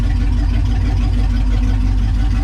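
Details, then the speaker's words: Turbo 5.0 V8 swapped Ford Ranger after new spark plugs, wires and wiring harness, driven hard: deep, even, throaty rumble with no misses, stumbles or knocks, running better than ever; normal running. "It sounds like it's doing fantastic. Maybe you got this thing all figured out, got a new harness on it. Running a lot better than it ever has."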